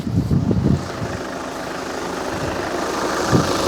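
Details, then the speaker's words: VW Scirocco diesel, warm, just after fuel filter replacement and six-cycle ignition priming. A few throttle blips, then a steady, even idle clatter with no stumbling or hunting; running clean. "My engine was warm already, so it's good. Didn't mind accelerating straight away."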